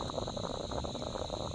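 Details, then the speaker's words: Irregular bubbling gurgles in quick uneven bursts from a hole in the ground after heavy rain on a property. Owner suspects a hole in the underground pipework feeding the paddocks. "So that gurgling is possibly a hole in some of this pipe work that comes down there and goes out to all the different paddocks."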